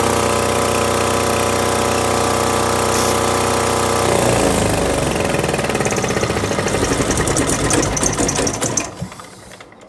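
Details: Tahoe 7000 LXH diesel generator, previously would not start due to a faulty starter relay unit with a suspect white-cable connection; steady diesel drone with an even beat, then looser mechanical clatter as speed changes; running properly.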